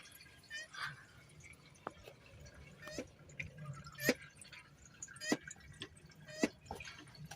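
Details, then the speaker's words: Ford Transit MK8 tipper with DPF full warning (P244C, P26A2, P2463, temperature too low for regeneration): brake bleeder pumping DPF cleaning fluid in via pressure pipe, irregular drips, gurgles and spits as it fills; normal filling. "just pump her up and you can hear it filling in"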